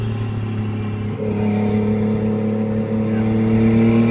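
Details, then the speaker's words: Toyota Cressida with a 1JZ turbo six, on its second drive after boost leaks and misfires were fixed, warming up. It pulls smoothly under acceleration with a clean rising drone and no misses or stumbles. Healthy engine under acceleration. "This thing is running like a champ."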